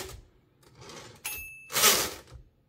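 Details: Torpedo 18B typewriter: bell rings, then a harsh buzzing rattle on carriage return as the escapement rocker pawl chatters on its wheel; silent carriage return spring missing, rack and dog stop also needed adjustment.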